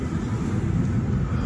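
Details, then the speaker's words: Nissan Qashqai 2 cabin blower motor and blower resistor replaced with new parts, ignition on and climate fan running: smooth steady low whoosh of air with no squeal, rattle or ticking; blower working normally. "Vom pune contactul. Dăm drumul la climă și da, cu siguranță merge."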